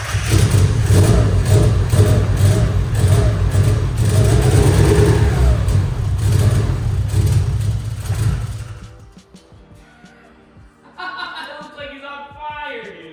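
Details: Lumpy, uneven engine note that surges and stumbles for several seconds then quits, at first start of a Miata after a budget turbo install; won't hold idle, cause unconfirmed.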